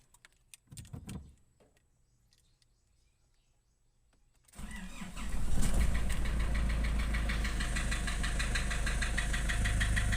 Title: Nissan Urvan Estate ZD30 E25 engine knocking replaced engine block assembly